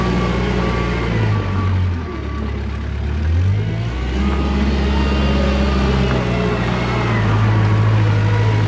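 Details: Kubota 520 hydrostatic wheel loader: steady diesel drone and faint reverse beeper as it bogs and won't climb the pile backward, though forward climbs with wheels spinning. It reverses on flat or moderate ground but not steep; suspected relief dumping.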